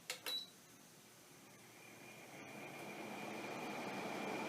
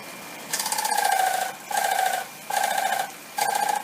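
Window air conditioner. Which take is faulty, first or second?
second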